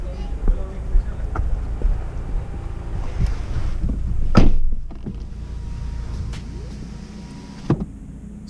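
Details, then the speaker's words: VW Golf GTE at idle after replacing the high-pressure fuel pump, which cured a knocking at idle that shook the steering wheel. Low, even hum with only faint normal mechanical and injection ticking, no knock; normal idle. "just to as a verification you can listen very closely but there's no noise car is just very silent"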